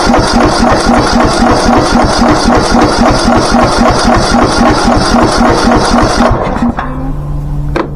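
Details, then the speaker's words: Craftsman T1600 riding mower engine, running after a carburetor clean. Steady, fast knocking of about four beats a second until it cuts out; a lower-end knock is suspected and the owner thinks the engine may be trashed. "This one definitely is not in the best shape, guys. Um, we've had better ones here at the shop. This is not one of them. I mean, I can still hear it knocking."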